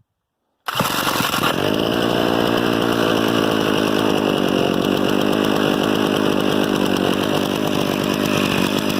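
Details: Harbor Freight 67414 ice auger engine after direct-fit replacement carburetor, slightly warm, choke on, started with a drill: catches after a brief start, then a steady, even two-stroke buzz with no misses or surging.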